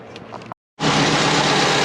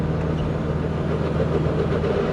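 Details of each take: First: Twin-turbo Subaru Forester after replacing power steering fitting o-ring and refitting internal wastegate: catches after short pause, settles into smooth steady idle with no knocks, whine or hunting. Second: Twin-turbo Subaru Forester with GT35 turbo, in second gear on a hill it always struggles with: engine labours low and flat with no rising turbo whistle, boost slow to build; owner suspects overly long piping.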